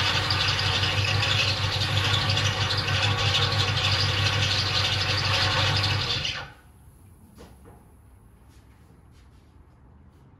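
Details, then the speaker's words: 1976 Lincoln Continental 460 big block with 41,000 original miles: smooth, even running with a steady whir and no whine or groan from the power steering pump; the pump sounds healthy. "our steering count pump sounds good don't it"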